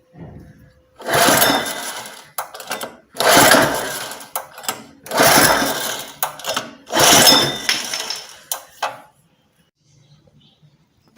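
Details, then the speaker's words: Honda 4-stroke engine on commercial pressure washer, cold, choke tried closed, open and middle: four hard recoil pulls, engine spins briefly but never fires; cranks no start, suspected valve clearance issue with decompressor. "ਅਤੇ ਜੇਕਰ ਇਹ ਹੁਣ ਸ਼ੁਰੂ ਨਹੀਂ ਹੁੰਦਾ, ਤਾਂ ਇਹ ਇੱਕ ਡੂੰਘੀ ਸਮੱਸਿਆ ਹੈ। ਖੈਰ, ਜਿਵੇਂ ਤੁਸੀਂ ਦੇਖਿਆ, ਇਹ ਸ਼ੁਰੂ ਨਹੀਂ ਹੋਇਆ."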